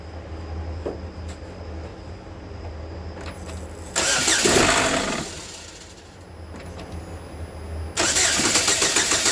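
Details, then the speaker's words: 2013 GMC Terrain, first start after engine rebuild following a broken timing chain that damaged the balance shaft: starter cranks, one sharp pop or backfire, then settles to an even run with no knocking and no check-engine light. "I'm going to get everything back together cuz that was the most important thing the first start up it sounds fine no knocking timing no check engine"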